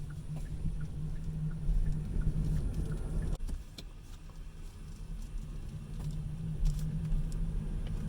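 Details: 2019 Hyundai Kona Electric, about 14,300 miles, bought new: a sharp single pop and a few lighter clicks over low cabin rumble while turning, appeared around nine months in and getting louder.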